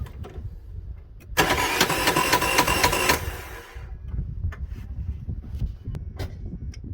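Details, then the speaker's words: 2005 vehicle: the starter spins fast and unusually even for under two seconds with no compression pulses or firing, so zero compression. The owner assumes the timing belt tensioner failed, which is not confirmed. "never ideal so zero compression uh the timing belt is as close as anything I'm going after the assumption that the uh tensioners failed"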